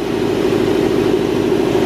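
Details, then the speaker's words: Jenny air compressor newly installed with Prevost air lines, pumping up to operating pressure after switch-on at the wall knife switch, mounted on rubber: steady even drone with a firm mid-pitched hum, no knocks or rattles; runs smoothly and healthy. "I don't think that's loud at all. It's not."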